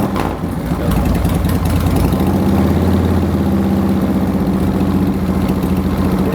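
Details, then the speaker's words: Twin motorcycle after installing a new Twin Power OEM-equivalent voltage regulator: steady loping twin-cylinder idle, regular beat, no misfires; charging voltage rising from 13 to 14.4 V, problem was the regulator, not the stator. "And I guess start it up. Let's see what we do. We're already up to 13."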